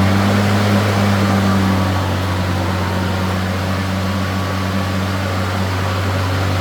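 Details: New Greenworks 80V Pro Max battery mower, rear wheel drive, on turtle speed: steady even electric motor hum, low constant tone, no knocks or rattles; runs smoothly.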